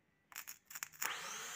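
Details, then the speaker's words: Suzuki outboard boat engine whose starter would not spin, starter motor fed directly from battery bypassing the starter relay/solenoid: a few scraping clicks then steady high free whir, no drag; starter motor fine, solenoid contacts likely need cleaning. "Un tas arī notiek, starteru motoru griežās. Tātad starteru motors ir kārtībā. Un starterim nekādas pretestības nav, lai griestos."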